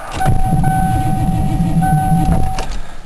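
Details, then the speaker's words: Ford Crown Victoria at about 7°F, fuel pump primed: starter drags slowly with electrical whine, almost pops but never catches, battery running down; slow cranking, owner suspects power-hungry starter and extreme cold. "it's cranking over a lot slower than it really should be I'll Prime up the fuel pump it wants to go ah starter drains so much juice I don't like it"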